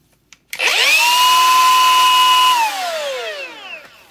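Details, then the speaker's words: Milwaukee M18 Fuel die grinder, faulty with a high-pitch sound and burning smell: a sharp, steady high whine holds while it runs, then slides down as it spins off; it is no longer rubbing but the bearing whine remains. "not still hitting but it still has a high pitched sound"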